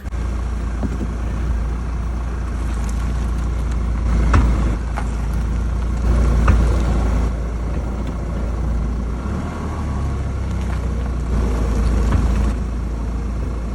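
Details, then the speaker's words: Car idling after brake pad replacement, braking alternately in reverse and forward: sharp single clunks at each brake application; suspected play of poor-quality front pads in the caliper. "If you go backwards, you press the brake, [music] it clings. Then you go forward. Press the brakes, it clinks."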